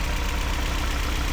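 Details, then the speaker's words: BMW E36 pulled from a field, first run on its own fuel after new wires: lumpy, uneven idle with stumbling low thumps, misfire confirmed, no terrible engine noise; rough idle. "I don't hear any [Applause] like terrible engine noise either. And it kind of sounds like it has a little bit of a misfire."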